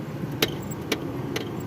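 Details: Renault Lodgy: three short sharp chirps about half a second apart over a quiet idle as the steering wheel is turned; squeak caused by a broken steering component.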